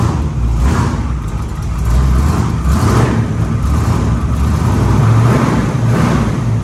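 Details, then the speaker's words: 1946 Chevy rat rod truck, freshly installed 383 small block (replacing oil-burning 409) with taller valve covers and relocated PCV: deep even V8 rumble swelling with throttle blips and settling back; runs clean and healthy. "Tight, sounds good, looks good."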